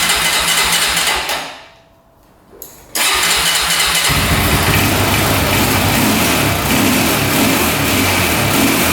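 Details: 2004 Honda 400EX quad after carb clean, valve adjustment, new coil, boot and spark plug: cranks, catches and runs rough and uneven instead of clean revs, backfiring; still bogs, coil ruled out, cause unknown.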